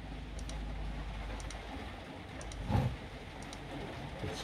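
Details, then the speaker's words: Power tool charger with a bad battery pack: faint paired relay clicks about once a second, won't charge; pack reads just over 9 volts and dropping, suspected bad cells, charger fine. "it looks like it's charger but it's not I've had ones like that before when you hear that clicking sound"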